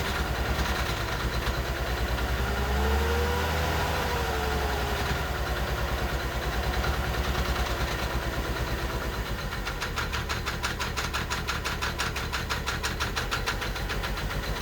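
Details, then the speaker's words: Mercedes 300SE after injector replacement, cold engine on a possibly weak battery, hard start, then idling while warming: uneven, lumpy idle pulsing about three times a second. Owner suspects the fuel distributor, its rear electronic part, or the fuel pressure regulator. "now is turning into a hard start [Music] oh"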